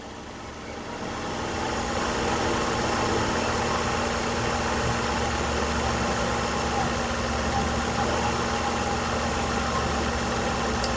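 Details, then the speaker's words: 2011 Ford Focus 2.0 L four-cylinder after thermostat replacement, which fixed its failure to reach temperature and its warm idle problems: steady, even, smooth idle with a low hum and no knocks, ticks or tapping; normal idle. "And you know, as you can hear, she runs very smooth. There's no tings or knocks or ticks or nothing like that."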